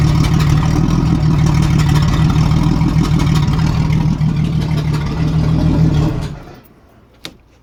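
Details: 1987 Jeep Cherokee Renix 4.0 rough idle miss: low lumpy note with uneven stumbling beat under revs, then shuts off; cylinder 6 exhaust rocker moving less, sticking valve or bad lifter; loosening that rocker bolt made it run smooth.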